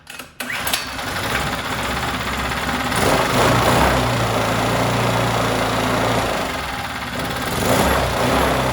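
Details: New out-of-box 79cc bike kit engine on a table, fitted with Chinese muffler and air cleaner: fast, fairly steady idle surging slightly as governor holds speed; won't start on low idle, owner plans to remove governor.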